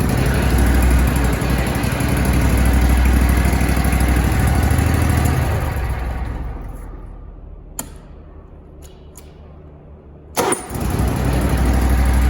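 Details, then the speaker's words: Zero-turn mower (Grasshopper or Toro) that probably sat about four months with stale carb fuel, started with external fuel via intake: small engine holds a steady even idle beat several seconds before winding down, no missing; normal running. "So let's see if it will light off with some external fuel source. Try it again. Uh-oh, we got something. Got good idle. yeah."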